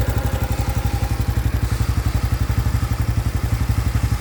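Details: 2025 Honda Biz motorcycle at idle with a hard, even clatter of about four knocks a second over the low thump; a new engine noise that appeared after riding below 70 km/h, cause not yet identified.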